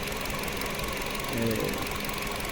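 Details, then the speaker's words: 2025 Nissan Versa HR16 engine at idle with one ignition coil unplugged on purpose: lumpy idle with an uneven beat and a dead pulse in the firing; single-cylinder misfire from the disconnected coil. "Por ejemplo, voy a desconectar una bobina. Desconecté la bobina."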